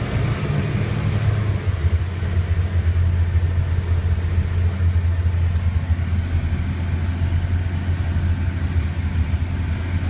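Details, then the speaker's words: Rotec R3600 radial engine on a new test stand, idling on the idle jet, so leaning the TBI has no effect. Fuel flow is about 8–11 L/h and head temperature is around 250. Steady, even low rumble with no misses or knocks. Normal idle. "it's idling off the idle Jet so leaning shouldn't make any difference technically"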